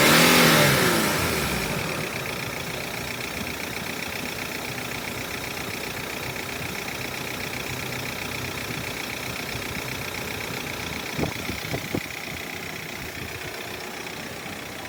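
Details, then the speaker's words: 2014 Mercedes Sprinter W906 316CDI, OM651 4-cyl turbo-diesel, approx 230,000 km, idling after EGR valve and intake manifold cleaning and reassembly: steady, even idle with no knocking or misfire, just a couple of light bumps; running healthy. "but eventually the engine will start if you've put everything back together correctly, and it actually sounds quite good."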